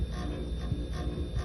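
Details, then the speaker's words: Used LG fridge, rear cover off: deep hum with a buzzing rattle pulsing about twice a second as a small blue refrigerant tube touches the condenser; moving the tube away stops the noise. "there is a small tube this blue tube and as you can see it's touching the condenser here so if i move this just a little bit to make this blue thing don't touch the condenser it stops the noise like this and if i put the blue there again it starts making noise again"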